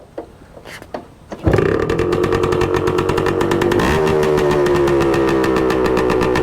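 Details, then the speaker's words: 1966 Suzuki Bearcat 120cc two-stroke, started on one kick to warm up and look for an oil leak: crisp, even crackle that holds a steady idle and smooths out as it warms; normal cold start. "It's settled down a bit now that it's warmed up a little bit. Sounds good."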